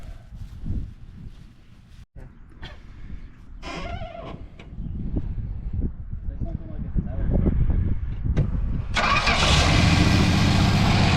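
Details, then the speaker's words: Rat-infested 1970 Dodge Challenger with a slant six after revival: cranking, then the engine catches and settles into a steady, even run with no knocks; dirty but sounds healthy. "That sounds good. Doesn't have any knocks or anything. Dirty as all heck, but other than that, it sounds good."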